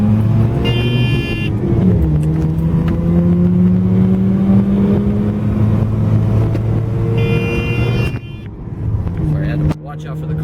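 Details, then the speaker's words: 1984 Mazda RX7 GSL-SE rotary, manual transmission, driven at wide-open throttle toward the roughly 7,000 rpm limiter, reaching 60 mph in third: smooth buzzing tone climbs, brief drop at the shift, climbs again; healthy, clean-pulling acceleration. "I'm gonna blow this engine wide open okay so you guys can hear it we'll hit the limiter a little warning time that comes on it hits at 7-7 thousand rpm"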